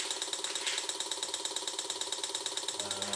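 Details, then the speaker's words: Chips welding to carbide cutter on a budget CNC milling aluminum (a knob for a gib lock) after the super-glued workpiece came loose; sharp high-pitched ratcheting clicks about twice a second as the cutter rubs; hot, air cooling not enough. "Well, oh, that is hot. So air cooling, not enough. We got some, oh, I see. Nice. Nice. Chip welding. Chip welding."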